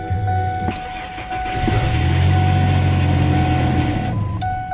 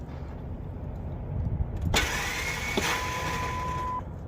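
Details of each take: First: 2003 Ford F-150 after fixing a no-start: two misplaced wires corrected. A brief quick starter whir, then it catches and settles into a steady, even idle. Normal crank and start, fix confirmed. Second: Ford F-150 with a used junkyard starter after the cable positions were corrected: a clunk as the key turns, then a high spinning whine that holds for two seconds while the crank pulley does not move. The starter freewheels without cranking the engine; cause unconfirmed.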